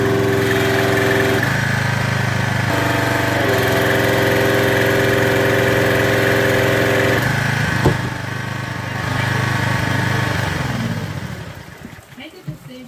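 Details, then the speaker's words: Craftsman 2700 psi pressure washer with a Briggs OHV engine, retested in heavy rain after the unloader was cleaned: a steady, even idle with the load note shifting as the unloader cycles, then winding down. It is running well with no leaks. "all right it's raining out hard it's idling well and you'll hear it you'll hear the unloader work okay"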